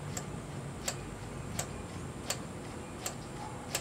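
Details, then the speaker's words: 4-stroke 7G motorized bicycle build, throttle cable just adjusted, engine off, quiet room: six crisp metallic tinks about every 0.7 s as the carburetor slide snaps shut each time; carburetor throttle slide closing fully. "that Little Tink Tink sound is uh the uh the carburetor closing fully so we're good to go there"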